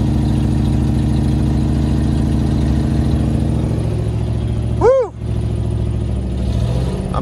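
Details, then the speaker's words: Manual Land Rover Discovery 1 started cold after sitting six months (owner suspects a bad head gasket from coolant loss): low, uneven idle sags and nearly dies, then picks back up; it keeps wanting to die while warming up. "trying to get out of the truck so i could film it but it keeps wanting to die so let me let it warm up for a second"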